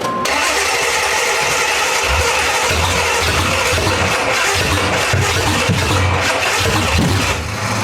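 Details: Old Monte Carlo hot rod with replaced cylinder heads: cranks, catches, runs raggedly with stumbling firing, popping and flame out the front, never a clean idle; timing suspected, direction unsure.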